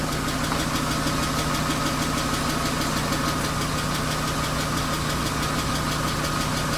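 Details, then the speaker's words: BMW 328i E36 inline-six, 154,000 miles, suspected blown head gasket, first start: light quick ticking about three per second over steady idle, no smoke; owner suspects needs an oil change, otherwise sounds pretty good. "oh so sounds pretty good other than that little ticking town we're not gonna run it too long"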